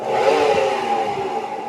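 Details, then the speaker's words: Seven-year-old Atlant washing machine with a 7 kg drum; steady rough whirring with a dry scraping edge as the drum spins. Bearings suspected, but the noise was found to come from the electric drive motor. The drum was also cracked. "Ну, по звуку як підшипник. Ну, не знаю. Щас будемо розбирати, дивитися. Поміняємо підшипники."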